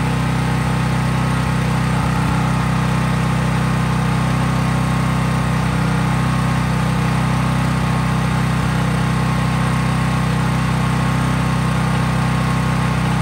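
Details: Craftsman 5000 W portable generator, cold-started and at full speed with only an LED bulb plugged in (no load); steady, even drone at constant high speed, no hunting or misses. Normal no-load running.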